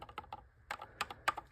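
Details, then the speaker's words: 3rd Gen Toyota 4Runner, bulb socket screwed into the new DEPO clear turn signal housing: light, sharp plastic clicks in uneven pairs as it is wiggled. Socket loose, not tight, unlike OEM. "it's not exactly tight. So don't love that."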